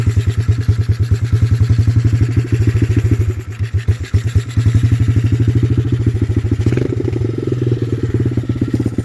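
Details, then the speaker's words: Chinese Honda-clone dirt bike (Coolster 125cc or TaoTao DB24 110cc), about 18 months old: quick, even single-cylinder thumps at steady speed with no misses, knocks or rattles; sounds really good, running clean. "But this bike sounds really, really good."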